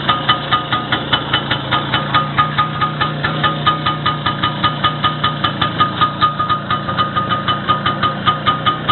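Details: Engine's first start after repair with the piston group and a bushing replaced: steady idle with evenly spaced firing pulses about two to three a second, no knocking; sounds healthy.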